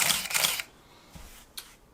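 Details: Nikon F301 35mm film camera: crisp, quick mechanical shutter and mirror clack, then small clean clicks as it resets; normal shutter release.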